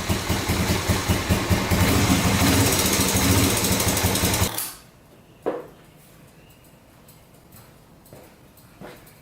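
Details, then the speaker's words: 1986 Honda FourTrax 350cc 4x4 ATV, sat unused for years: single runs with a loud, slightly uneven thump, revs up and back down, then shuts off. Stalling from fuel starvation; owner suspects a dirty carburetor and bad fuel, plans a carb clean and fuel change. "i'm guessing i could use a carb clean because it sometimes revs up wraps back down shuts off sometimes so we could clean up the carburetor definitely and it's probably got bad fuel in it as well"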